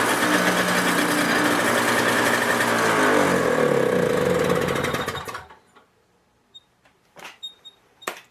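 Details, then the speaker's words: Toro CCR 2000 two-stroke snowblower started for the season on 50:1 fuel mix, primed, choke out: crisp steady buzzy revving, then clean wind-down at shutoff; started perfectly, running normally. "as you can see started off perfect I run a 50 to1 mix on all my outdoor power equipment especially the snowblower"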